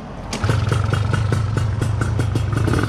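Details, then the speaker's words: Gilera Runner 180cc scooter with newly installed Smart Carb SC2, first start with no adjustments: lumpy, stumbling idle, loaded up right away; too rich, to be leaned via the red dial. "you just see it's loaded up there right off the bat i know it's too rich"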